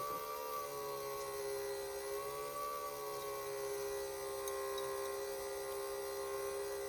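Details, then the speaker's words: 1/4-scale RC Willys with a cheap eBay fuel pump and no reading on the fuel pressure gauge. When the return line into the fuel cell stops flowing, there is a steady, strained mid-pitched whine with a higher overtone. The pump is labouring, probably weak or faulty. "the return line stops flowing and that the you can hear it the fuel pump really gets a hard time"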